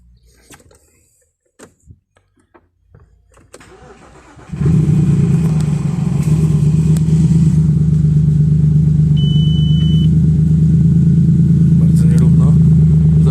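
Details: Audi A6 C6 2.4 V6, first start after a breakdown with the oil pan refitted: it cranks, catches and runs lumpy and misfiring with the check-engine light blinking, traced to low battery charge at start; it later idled evenly.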